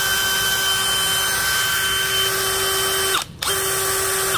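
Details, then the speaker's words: New DeWalt DCK299P2 kit drill in plain drill mode, without hammer, used for wood, metal and tile: a clean, steady whine with no rattle or grinding that stops and restarts evenly. The motor is healthy. "tiếp theo là chức năng Phan Bình thường mình dùng để khoan gỗ phang Sắt bằng gạch men mái tóc có sẽ chậm hơn so với lại không có muốn"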